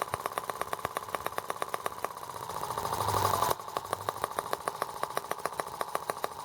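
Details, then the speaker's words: R18 model engine, first start with replacement Hall sensor harness and spark now working: sharp uneven clatter about three times a second over a thin engine note, rocking hard and unbalanced; runs rough, cause not found, owner wonders if water reservoir weight matters. "Now I wonder why it's rocking so hard. I didn't loosen anything up. Alright, well, now I need to figure out why it's so unbalanced."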